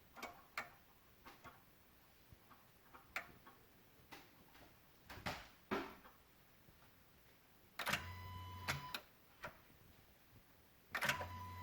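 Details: 2016 Honda Odyssey, engine off, engine/VSA/LDW/FCW warning lights on: faint irregular sharp clicks every few seconds near PCM and VSA control module; source unconfirmed.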